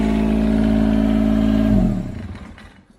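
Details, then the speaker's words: John Deere 430 garden tractor after a no-start/no-crank fault, fixed by tightening the battery terminal at the hold-down (the ratchet sparked against it while tightening); now starts quickly and runs with a firm, even hum, then switched off; normal running. "so what I said is she's running like a dream starting up so quick easy fix"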